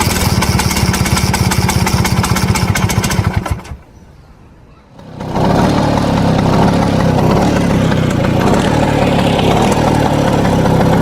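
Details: 1963 Vespa VBB scooter, two-stroke, also won't start after warming up: uneven idle with a loose, fast rattle riding on it, engine dipping nearly out then recovering; rattle at idle, cause unclear.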